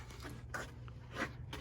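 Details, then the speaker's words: Low-mileage 2000 Land Rover Discovery Series 2: quiet short whirs and soft clicks in separate bursts over a low cabin hum from the CD changer under the seat, loading the third CD normally. "and you wait for it to load. You can hear that loading sound coming from underneath the seat. Yep, the third CD is loading, and eventually, when you turn on the car, you press the CD button and the CD changer comes to life."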